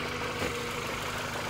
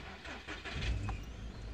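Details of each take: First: arrancamos el coche y vemos que ya suena muy distinto y ya no vibra como antes vale ya es una cosa más normal Second: Audi A3 8P 1.6 (102 hp), NGK BKUR6ET plugs, jerks on acceleration with a burning smell: after start-up the idle settles into a lumpy, uneven, shaky low beat, engine vibrating. Misfire from a faulty spark plug.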